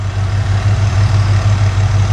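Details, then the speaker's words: V8 engine pulled from the truck Creampuff, idling on a test stand. Temperature is holding good and oil pressure is about 52 psi. Deep, steady low rumble with an even beat and no knocks or ticks; a smooth, healthy idle. "Our temperature's staying good and our oil pressure's a little over 50 pounds, 52 pounds."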